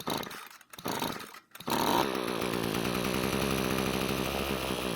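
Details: Ryobi string trimmer that won't start, with good compression, given mixed fuel in the carb throat: after a couple of false pulls it catches and buzzes steadily, so spark and compression are fine and fuel delivery (fuel lines, carb) is at fault.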